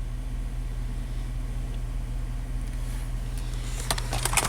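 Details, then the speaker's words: 2002 Dodge Dakota 4.7 L V8 after no-parts fix for erratic idle and rough shifts, minimum TPS relearned: low steady rumble at even idle around 600 rpm as IAC counts settle, no stumbles or hunting; smooth. "now the I accounts are dropping until the idol stabilizes at whatever it wants my 600 rpm it's a v8 you know hey can I let low real smooth I like it"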